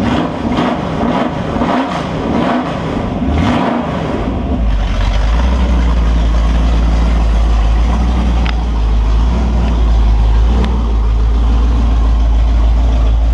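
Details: Holden 355 stroker V8 on a bench test stand, new engine for an HQ Holden (flat-top pistons, Sig Erson TQ30 cam, HEI, Edelbrock carb, Aeroflow single-plane, 9.5:1), bedding in cam and lifters: after a few early blips, a deep, steady, even rumble with no knocks or ticks. Oil pressure is 30 psi at idle, no leaks; healthy.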